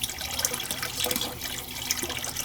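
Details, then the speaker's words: Gas boiler with no heat to 2nd floor zones, small PEX piping, suspected blocked flow check: irregular hissing rush of water broken by spitting air bursts at the hose; trapped air purged from a hot water heating zone, possibly glycol in the system. "a lot of air in there let's see all the air let it run for a [Music] while might have glycol in it"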